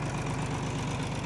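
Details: Tractor bought at auction, dad-bought new, little fieldwork for 35 years under CRP; steady low diesel idle with even deep beat, no knocks or misses; healthy.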